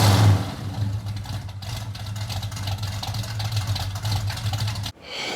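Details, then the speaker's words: 1973 Dodge Dart Swinger V8 on new DynoMax mufflers; a steady, deep rumble with even pulses rises smoothly on a light blip, idle a little low after sitting for months: a normal, well-muffled V8 exhaust note. "sounds phenomenal so i'm gonna go wash off some of the man gravy here and uh we're gonna take this first spin wow what an incredible difference you can hear the cam just sounds awesome"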